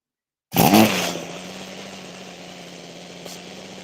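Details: Small two-stroke trimmer engine after fixing a gasket air leak, with the idle screw backed out by ear. It starts easier and settles into a steady, even buzzing idle with no stumbling or surging. Normal idle.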